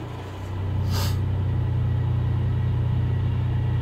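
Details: Ford Mondeo ST220 V6 with random misfire on banks 1, 2 and 3, down on power, won't rev past 5k: deep, lumpy idle with uneven pulsing beat; misfire, blocked rear catalytic converter suspected.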